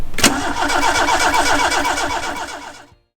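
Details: Fire-damaged car on ECU, batteries running low: starter churns in quick beats, about two and a half a second, stops without firing; ignition trigger threshold set wrong, timing reading jumping from 10 to -30/-40 degrees.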